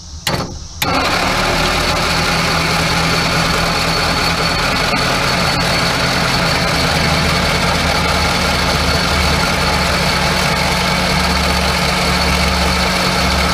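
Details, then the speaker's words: Crosley car, barn-stored 40+ years, under 30K miles, 6-volt system, first crank: slow, steady crank with even beats and no catches or scrapes; compression sounds healthy and equal. "i'm sure that's healthy this one actually cranks a bit sounds good"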